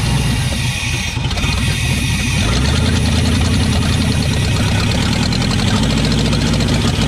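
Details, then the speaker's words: Chevy K2500 TBI 350 V8 that sat 10+ years, running on gas sprayed into the throttle body: uneven, lumpy beat with irregular pulses, rough as if starved or misfiring; smoking and shooting flames from one header. "she's smoking this is this one side straight I don't know if I got it in the video but it was shooting some flames out of that header so it runs"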